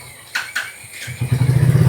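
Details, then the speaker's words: Royal Enfield Classic 350 BS6 J-series, 32,966 km, check engine light on: starter bursts, engine catches with uneven stumbling pulses faltering as throttle is added; misfire and stalling on throttle, fuel pressure reportedly fine. "देखिए start तो हो जाता है। लेकिन थ्रोटलल देते हैं। Bike बंद।"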